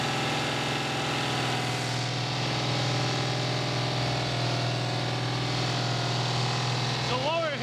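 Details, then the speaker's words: Pontiac 455 first start during flat tappet cam break-in: engine running hard with a fast, rapid light hitting underneath, steady with rpm; owner suspects the bottom end, possibly contacting the close-fitting windage tray or oil pan. "something really fast hitting something and the only thing I can think of is how close that witness tray was if we needed to when the pan push but it sounds like it's the bottom man"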